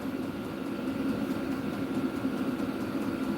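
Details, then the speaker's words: Diesel-powered heater, replacing a larger propane unit, running after about 8 minutes with its setting pushed up to 91. It gives a steady, even roar with a constant whistle and no knocks or surging, blowing hard at high output, normal. "oh okay now we got it up oh [Music] definely blowing hard now it's definitely"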